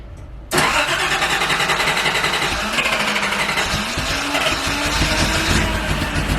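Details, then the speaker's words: Nissan 280ZX after fitting a new $20 part: the engine catches and settles into an uneven, hunting idle with a wavering note. Owner thinks it sounds short of fuel; the cold start valve is still plugged in, so that shouldn't be the cause. Cause uncertain. "but it it started um still sounded like there was a lack of fuel for some reason"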